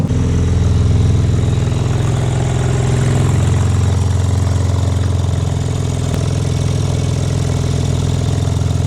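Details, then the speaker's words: Rebuilt crash-damaged BMW M4 Competition warming up after a coolant refill, exhaust still damaged and awaiting replacement; deep, loud, steady idle rumble with heavy low drone; loud exhaust at idle. "Yeah, about that sound. I still need to get the exhaust uh swapped up."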